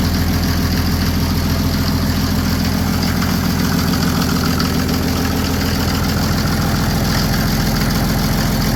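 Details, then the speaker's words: Mercedes OM603 diesel swapped into a Ford Ranger, just after first start, warming up with throttle slightly cracked: even, steady diesel clatter with a regular low beat and no misses, oil pressure near max; healthy idle. "see what it sounds like we can give her some revs I'll let it warm up for a couple more seconds here and then we'll rev It Up"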